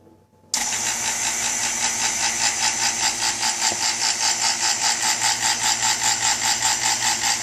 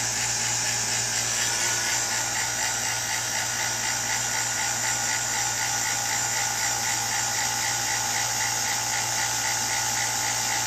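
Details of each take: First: New non-name-brand two-stage 3.9 CFM vacuum pump at startup: bursts on loud and harsh with a fast, steady pulsing rattle of about 2.5 beats per second, then quiets down; unusual loud startup noise, cause unknown. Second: New two-stage 3.9 CFM mid-grade non-name-brand vacuum pump: louder at first, then settles into an even, steady high-pitched hum with no knocking or surging, much quieter than the single-stage; normal running.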